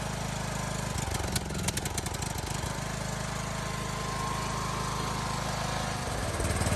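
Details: Briggs & Stratton lawnmower engine with surging and smoking problem; spark and coil checked good: uneven hunting beat that rises and falls instead of holding steady, typical governor surge.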